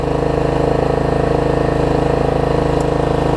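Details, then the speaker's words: Troy-Bilt Pony riding mower, unidentified small engine (possibly Loncin), running after a loose starter-solenoid connection was fixed and a good battery fitted: even, steady putter at about three beats a second, no misses or stumbles; healthy. "$100, y'all. About 30 minutes of troubleshooting, got it running."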